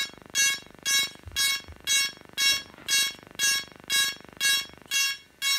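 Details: DJI Phantom 3 Professional drone giving steady piercing electronic beeps about twice a second, nonstop after switch-on: error alarm following an interrupted firmware update; fix being attempted by formatting SD card and reinstalling firmware.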